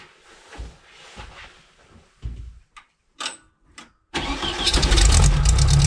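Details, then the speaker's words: 1972 VW Beetle Domus pickup, off road since 1989, older blue Bosch coil with added resistor: a few short cranking bursts, then catches cleanly into a strong even air-cooled idle; starts and runs normally. "I just put a resistor on it and it fired up and ran and it ran great and it's so far it's still staying running."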